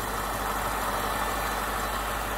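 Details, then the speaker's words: BMW 6 Series E63/E64 with N62 V8: steady, even idle with no knocks or misses; faint ticking from the vent valve, about to switch off, under the engine note; healthy engine. "oh now the um vent valves just about to turn off i think yeah so all we can hear now is the sort of various little noises from the engine"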